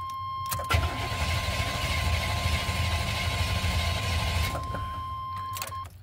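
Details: Strong, even starter cranking about two turns a second on a 1990 Chevy K1500 5.7 L V8 with carburetor, no catch or firing; crank-no-start, strong crank rules out starter and battery, fuel delivery fault suspected.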